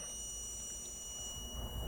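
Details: Dell G15 5530 laptop, about a year old, dead after a RAM upgrade: bench supply injecting about 0.5 V into a low-resistance shorted motherboard rail gives a thin, steady high-pitched beep over a faint hum, with a solder bridge also found shorted.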